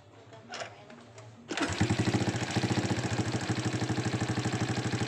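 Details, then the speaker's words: Honda Supra X 125 after repair of a loud ticking (kemelitik) engine noise: engine restarts to a smooth, even single-cylinder idle with the ticking gone; normal. "ya suaranya itu jadi halus lagi sudah normal"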